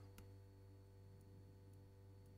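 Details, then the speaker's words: Evinrude E-TEC 60 hp outboard with its EMM (ECU) repaired, injector actuation test run from diagnostic software: faint sharp ticks about half a second apart over a quiet low hum, the injectors clicking normally as each is actuated. "आप इस मशीन में सभी चीजों का परीक्षण कर सकते हैं, नोजल को इस तरह क्लिक करते हुए सुना जा सकता है"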